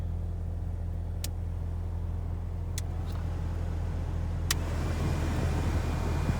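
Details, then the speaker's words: Toyota Celica GT (2001–03 blower) after blower motor replacement, running at max speed; steady even rush of air over a low hum with no squeal, rattle or grinding, much quieter than before. "So max. And all I can hear really is just the air. So it's a lot better than what it previously was."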